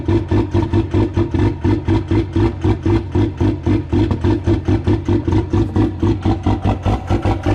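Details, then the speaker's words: Old Cummins diesel cold-started at -1° without grid heaters or block heater: heavy rhythmic lope about four and a half pulses a second with clatter, running rough; still too cold to start cleanly without heaters. "Still too cold for the old Cummins, I guess."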